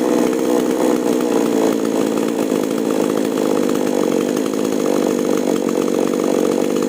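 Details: Chainsaw (5002/5018 class) after carb tuning of H and L screws, cutting wood at full throttle: strong, steady high-pitched buzz with no bogging or surging; normal cutting under load.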